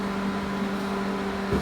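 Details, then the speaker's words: Microwave oven heating water for 30 seconds after the magnetron and mica sheet were replaced: an even, steady low hum with no popping, crackling or arcing; the earlier sparking and fire are gone and it runs normally. "que que saía né fogo que saía já não acabou a micro-ondas voltou a funcionar normalmente"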